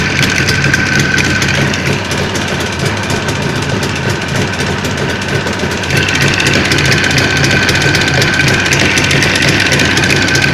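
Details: Jawa 638 two-stroke, tired cylinder-piston group, mid-rebuild: uneven idle with loose, irregular knocking at about three beats a second; owner suspects crankshaft and chain knock.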